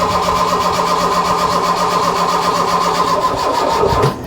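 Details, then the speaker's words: Mk1 Ford Fiesta Ghia 1.1 barn find, with fuel and spark confirmed: fast starter cranking with a few uneven catches as it tries to fire, then it cuts out; it fires briefly but won't keep running, and weak cranking power is suspected. "it went a bit longer then didn't it yeah you have to like leave it for a little bit"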